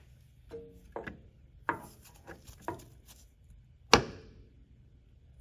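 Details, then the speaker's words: Ford 5.4L 3V Triton engine, engine off, crankshaft pried in and out at the damper before a timing job: irregular dull metallic clunks as the crank hits the back of the oil pump; excessive crankshaft end play from a failed thrust washer. "we're gonna pull it out and that noise you're hearing right there is actually the crankshaft touching the back side of the oil pump inside of there that's how much it's moving"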